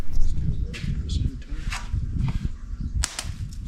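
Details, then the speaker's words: Mini radial engine cranked by a starter: sharp, irregular snapping clicks over the low rumble of the engine turning, with sparks seen and heard, so the ignition is firing the plugs. "there you go I hear spark you hear Spark I mean I see Sparks well but I hear Sparks"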